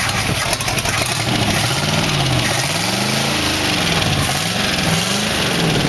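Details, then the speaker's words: Engine in a 1914 Dodge T-bucket roadster, first start after distributor mods, new coil and wires, 40 psi oil pressure, loose mufflers, possibly on seven cylinders: strong even V8 beat with light throttle blips, no knocks; normal running. "well fire it up with no trouble ed Lily Bell rattling in it is running at 40 pounds of oil for fun"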